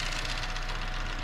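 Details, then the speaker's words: 2013 Chevy Sonic RS at idle after replacing evap/purge solenoid: fast, light ticking over steady hum, not valve train; felt at the new solenoid, quieter unplugged, so issue likely remains, cause uncertain. "it's not valve training it's not it's this solenoid thing back here so this is a new one you can even feel it clicking if you take the plug out it gets a little bit quieter"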